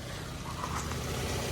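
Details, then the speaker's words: Mira Walkabout after fixing its squeal, idling warm for a couple of minutes: low even idle rumble, no tapping or rough misses; engine judged mechanically good, no coolant leaking. "so I want to say now that the engine is mechanically good"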